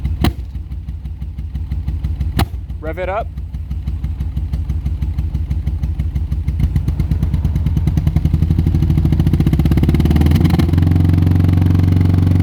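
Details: 1985 VW Golf Cabriolet revved: uneven chuffing idle with a stumble, then lumpy revs, a misfire. Owner suspects ignition or cam timing, fuel injectors or vacuum leaks; cause unconfirmed.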